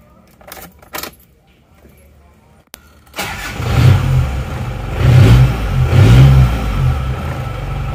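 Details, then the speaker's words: Isuzu Panther 2.5 diesel, previously blowing oil-fume blow-by, after roughly 5-million-rupiah engine repair, first start: starter catches and the engine settles into a smooth, even low rumble with no knocks or misses; normal start and idle. "mesinnya halus ternyata ini suaranya seperti ini suara mesin seperti ini rata ya"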